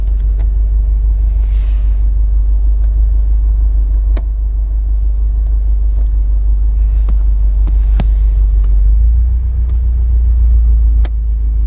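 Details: 2011 Subaru STI clutch pedal: sharp clicks and faint creaks a few seconds apart over a low cabin rumble. The noise continues after the dealer replaced the clutch switch.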